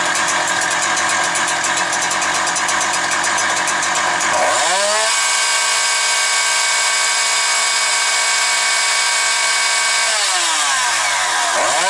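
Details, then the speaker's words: Husqvarna 365 chainsaw with a Walbro carburetor, post-sale check. It screams at high revs with revs holding steady at full throttle, drops cleanly to a steady idle, then picks up crisply with no bogging. Running perfectly. "Ну що хочу сказати, ідеально працює."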